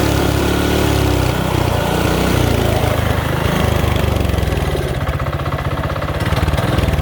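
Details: Mini bike single-cylinder with new carb, high-compression head, thin head gasket, coil, plug wire, fuel, exhaust: runs briefly, then ragged, sagging beat; won't run properly, suspected low compression or mistimed aftermarket cam.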